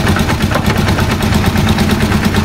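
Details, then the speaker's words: Rusi Chariot 175 trike, older single-cylinder engine at idle: rapid, regular knocking rattle on each firing pulse, from a detached air cleaner. "So ito yung nagpupos din ng ingay bandang huli. Kaya minsan may narinig tayo na lagatok, ito po yan, lumalagatok."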